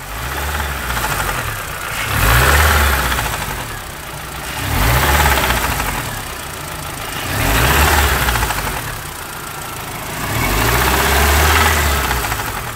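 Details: MINI R50 (Mini One 1.6 16v, 90 hp) revved repeatedly: a metallic clatter rides each rise in speed from a slack timing chain with the hydraulic tensioner; the noise came and went over restarts, and the oil looked normal.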